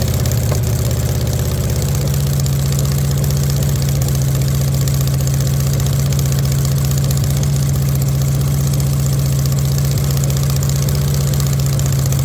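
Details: VW Beetle rat rod air-cooled engine at first start after rebuild, carburetors not yet tuned: low steady drone with slightly uneven, loping beat at idle; running a little rough, rough idle likely from untuned twin carbs.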